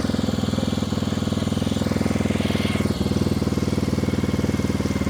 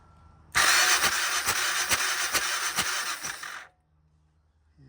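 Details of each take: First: 1994 Honda XR650L single-cylinder, unstarted 14 years, first start after spark restored, with choke, fed from a gas can, some smoke: fires and settles into a steady, even idle thump with a brief dip; healthy running. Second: 1994 Honda XR650L single-cylinder, unstarted 14 years, cranking on the starter: steady compression pulses a little over two a second for about three seconds, no firing. Good compression at the spark plug hole but no spark; wiring and ground to be chased.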